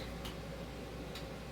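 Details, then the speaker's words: Jars of pressure-canned chicken just lifted out of the canner: two sharp little pops about a second apart over a quiet room hum; jar lids snapping down as they seal properly. "Did you all hear that? That means my jars are popping and they're sealing."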